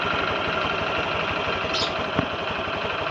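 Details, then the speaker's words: Honda Click V3 scooter at idle, odometer 5,523, ticking since before 1,000: quick steady tick over the exhaust pulse; owner suspects cam chain tensioner or valve clearance, unconfirmed. "ano yung ginawa ninyo para mawala yung kanyang takataka tak na sounds na yan."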